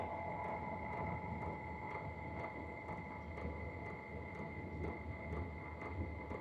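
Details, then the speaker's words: H-Calory diesel heater fitted with a replacement aftermarket fuel pump, casing off: faint, even ticks about twice a second, quieter than the fan hum and much quieter than the original pump. This is a normal dosing pump sound. "Yeah, that's a lot quieter. The fans are actually louder than the clicking noise. Me personally, it's a lot quieter. I can't even hear the tick. I can hear the ticking, but it's very faint."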